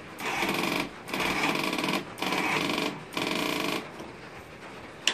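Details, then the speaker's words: 1992 Yamaha Timberwolf ATV with a nearly dead battery and starting problems: four short bursts of fast, harsh chatter, each about a second long, on each crank attempt. The noise seems to come from the rear near the exhaust, and the cause is unclear. "so something over here is tripping it cuz it sounds like it's tripping but I don't know what it is"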